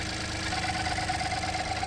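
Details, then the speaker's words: 2017 VW up! TSI at idle: fast light rattle sounding like engine knock, actually a loose part on top of the engine not refitted properly after a service. "É essa peça aqui, ó, que parece que é estirado para fazer revisão e não montou ela novamente certa e e ela tá dando esse esse barulho, ó. Ó, para você, parece o motor batendo,"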